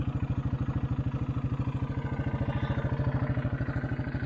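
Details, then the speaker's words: 1984 Honda 200 Big Red three-wheeler, running after sitting about 25 years: quick, evenly spaced single-cylinder thumps at a steady idle with no misses or top-end clatter; normal idle, engine sounds good. "could not get one to work at the moment but the motor sounds good"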